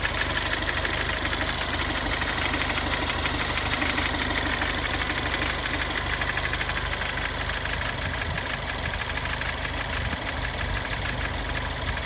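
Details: 2015 Ford Fiesta ST with 300 miles, warm after a 5-minute drive: steady ticking about three per second over idle; engine ticking, cause unclear.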